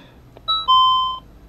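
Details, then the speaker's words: Radio Shack Micronta Vox talking clock, received in 1986, after a repair attempt: clean two-note chime, high then longer low note, with no pops or crackle; earlier popping gone, though not certain it's truly fixed. "ok it's all back together again and it seems to be working ok doesn't have that popping sound anymore"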